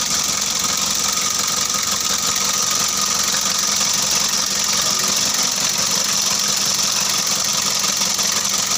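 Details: Mitsubishi L300 diesel just started after engine overhaul, injector lines bled: freshly rebuilt engine at a steady, even idle, no knock or miss above the clatter.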